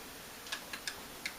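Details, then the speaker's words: Animatronic Uncle Dorkel figure with a failed remote button: when the working mouth trigger is operated, light uneven ticks (five in about 1.5 s) from the eye/head motor inside the head, moving normally. "and the the eyes are moving I can hear the head motor the eye motor going in the head here"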